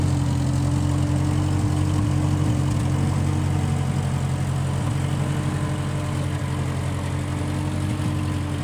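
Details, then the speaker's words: 1955 Massey Ferguson MF65 tractor, in family 30+ years, restarted after sitting a couple years; carb cleaned, Marvel Schebler carb may need slight dialing in. Steady, even four-cylinder chug, constant low drone, no stumbles; normal running. "Yeah, everything seems to be going pretty good on it. I ran this a couple years ago and then let it set and so you have to clean the carb out every time it sits for a while, but seems to be working pretty good."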